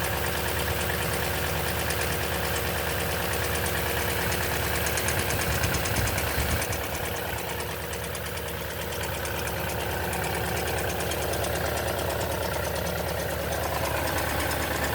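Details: 2010 Toyota Tundra V8, 165k miles, oil changed every 5,500 miles: busy, rapid ticking clatter over a low rumble at cold-start idle; suspected timing chain noise, not confirmed.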